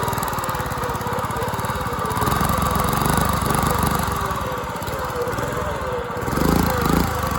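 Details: Dumpster-found go-kart engine, missing valve-cover parts, running unloaded: loud, uneven, stumbling beat about two pulses a second; rough running, owner suspects timing and probably valve lash.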